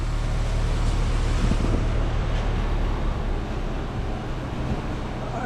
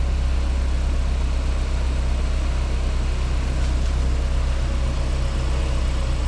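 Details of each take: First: 2016 BMW 328i F30 RWD on a lift, in gear with wheels spinning, chasing a highway-speed vibration: steady low drivetrain rumble with no whine or knock; carrier bearing silent and healthy, wheel appears wobbly, possibly bent. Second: 2016 BMW 328i F30 RWD on a lift, in gear with wheels spinning, chasing a highway-speed vibration: deep steady drone with an even thrum about four times a second; carrier bearing silent, cause was a bent wheel, since repaired.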